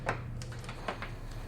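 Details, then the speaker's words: New, shop-tested fuel injector from a 1985 Porsche 928S bench-tested with a wire rig from an old multimeter; sharp crisp clicks at uneven intervals as power is tapped on, confirming the solenoid opens and works. "But listen carefully. That clicking confirms that the injectors work, so I was satisfied"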